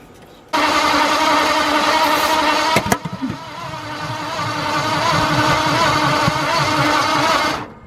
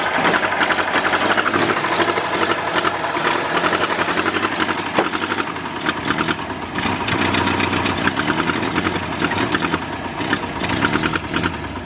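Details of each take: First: 1953 Ford truck, newly installed V8: starter grinds at a steady cranking beat for about seven seconds without ever catching; no start, even after trying a clockwise firing order instead of counterclockwise. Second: New V8 in a 1953 Ford project truck, first start after verifying number 1 at top, no coolant hooked up: keeps running on its own with a steady, busy clatter and even rhythm; engine runs.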